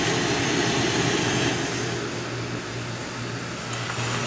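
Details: Coleman 508 single-burner stove: smooth, even rushing roar with a light hiss, no sputtering or pulsing; burner running clean and healthy.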